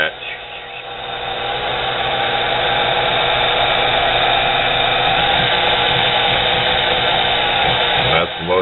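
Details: Nano lathe with a high-rpm motor of under 1/4 hp driving the headstock: steady high whir with a rough, growly edge under load; bearings are suspected, not confirmed.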